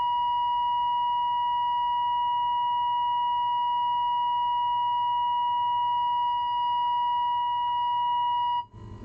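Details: 1946 AWA 509M valve radio during alignment, tuned to 1500 kilocycles with a signal generator at 1500: a clean, steady tone near one kilocycle with no drift or crackle; the set is aligned and receiving properly.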